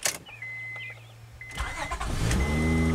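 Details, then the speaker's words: 2003 Honda Odyssey V6 after new spark plugs and misfire repair: chime, starter catches and engine settles into a steady, even idle with no stumble or miss; normal start and idle. "nice I love that v6 sound very nice all right I like it"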